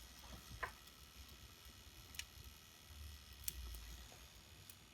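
Faint, sparse clicks about once a second over a quiet room: the toaster's clockwork timer is running down normally.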